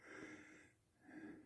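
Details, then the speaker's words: 2011 Kia Soul 2.0L: soft breathy puffs about once a second, exhaust hissing out through the rusted flex pipe joint behind the front catalytic converter, the braided wrap pulled back after its retaining rings rusted away; the bellows is holed and too thin to weld. "I'm just going to move it back and show you what's in behind it yeah so there it is there now you can hear it exhaust leaking right through the there's the uh wrap that's been pulled"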